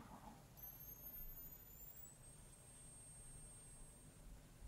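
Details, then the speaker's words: Homemade xenon flash circuit built from salvaged camera-flash parts, powered from about 3.3 V: thin, very high whine rising in pitch, then holding steady as the capacitor charges to 290 V; normal charging whine. "I can hear it. Okay, 290 volts."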